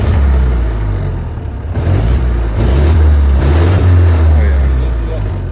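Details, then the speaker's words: Old Austin 7 four-cylinder that would not start after sitting in a museum, carburetor issues suspected; now started with choke and ignition on. Low, steady, quiet putter under voices, running evenly without stumbling; healthy. "Runs so smooth you can hardly even hear it."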